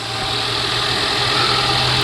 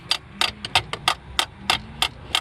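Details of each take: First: 2018 Ford Explorer running after a failed starter was tapped to get it going: steady, even idle hum with no misses or knocks; normal idle. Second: 2018 Ford Explorer that suddenly wouldn't crank, even when jump-started: sharp metallic taps about three a second on the starter with a rod, then the engine spins and catches right away. Sticking starter, freed by tapping.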